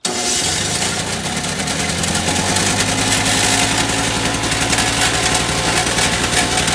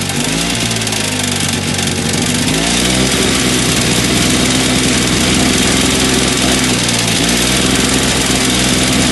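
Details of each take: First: Two-stroke electric-start snowblower, primed and choked: catches and holds a steady working-speed run without surging or sputtering, throwing light snow better than before; normal running. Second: Two-stroke electric-start snowblower, first start of the season after sealant repair, primed and on choke: revs sag hard twice and pick back up, hunting unevenly; surging and won't stay running, carburetor suspected, to be removed.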